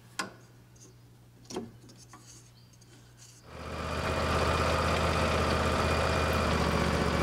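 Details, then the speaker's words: Husqvarna lawn tractor after replacing the worn, noisy drive idler pulley and refitting the belt, deck still off: engine catches after a couple of clicks and runs steady, no squeal or grinding, quiet normal belt drive. "it fixed it no more noise last thing you need to do is throw the deck back on and you're all set"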